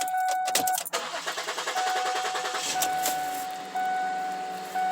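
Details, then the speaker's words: 2007 Ford Edge after brake booster replacement and throttle body refit: door chime over a steady starter chug of about two seconds before it catches; slow to fire, cause unclear. Owner says it usually doesn't take that long. "Usually doesn't take that long. So we're going to go ahead here."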